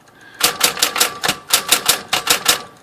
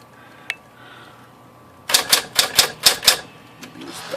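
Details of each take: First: Smith-Corona electric typewriter after tightening a loose piece in the type basket that caused an odd noise on one key. Crisp, even keystrikes about four a second with no extra rattle or buzz; normal typing. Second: Smith-Corona Electra 120 electric typewriter: sharp bright key strikes with an odd extra click as a far-side typebar hits the side of the ribbon spool, not the case.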